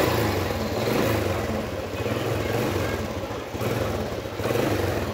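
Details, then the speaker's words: Vietnamese motorcycle running after the key was switched on and the lights came on: even, steady putter with gentle rises on light throttle blips, no knocks or rattles; throttle response is slightly weak, otherwise running normally. "Đó, rồi ngon lành, đây được. Rồi, vậy đó các bạn nha. Đẩy ga hơi yếu thôi."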